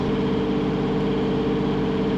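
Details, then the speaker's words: Boat inboard engine underway on sea trials after a year of work, cooling water still coming out the exhaust: steady, even low drone with no knocks, misses or surging; sounds better than ever, normal running. "Oh, she sounds so much better than she ever has before. I bet. There's a lot of shit to it. She can breathe, she's getting drinks."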